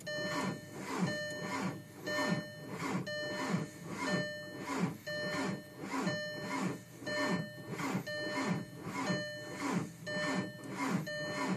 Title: 04 tdi 5deg f no start